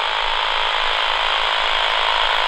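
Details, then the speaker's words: An AM radio held near a Flymo 1200R robot lawnmower boundary cable, far from the base station, picks up a steady raspy buzz. The buzz shows the intact cable still carries its signal while tracing a break. "but i know the boundary cable runs along here somewhere so we should hear [Music] [Music] here you still hear that buzzing"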